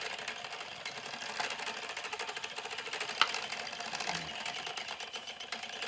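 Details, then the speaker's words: Louet S45 spinning wheel while treadling: fast, light ticking and squeaking; the owner wonders whether the bobbin rubs the ball bearings, but the bobbin turns fine, and suspects a loose flyer screw that has come undone. "you know what i think the squeak might be the bobbin against the ball bearings"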